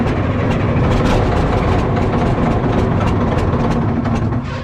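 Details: Cat 977K track loader diesel, with a small exhaust leak feeding the intake, started after cleaning the fuel filter and priming: catches and settles into a deep, steady rumble, no stumble or knock; normal start and idle.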